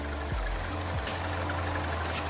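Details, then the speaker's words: Chevy Cruze 1.4, idling; faint repeating chirp over the engine, the typical 1.4 water pump failure, pump judged shot, coolant also leaking from bypass plastic piece. "but uh that's the famous chirp coming from a 1.4 so water pump is shot doesn't surprise me"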